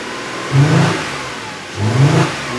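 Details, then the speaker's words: 2010 Audi Q5, about 135,000 miles, stone cold, code P0302 with check engine and EPC lights: engine blipped twice over a lumpy, uneven, constantly misfiring idle instead of its normally smooth running. "and so now that it has a skip on i don't know one maybe more cylinders i mean it's just running rough as can be check engine light is on"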